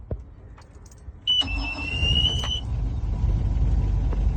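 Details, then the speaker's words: Engine started in neutral with the throttle set at about 10 to 11 o'clock: a short starter whir, then it catches at once and settles into a steady low run, a clean easy start. "so started really easily that's that's a really great sign"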